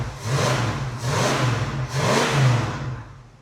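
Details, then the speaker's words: 1981 Jeep Wagoneer Limited 360 V8, revived after 20+ years sitting, charging: three crisp rev blips climbing and dropping smoothly, no stumble or hesitation; normal throttle response. "She is responsive on the old throttle too. Surprisingly."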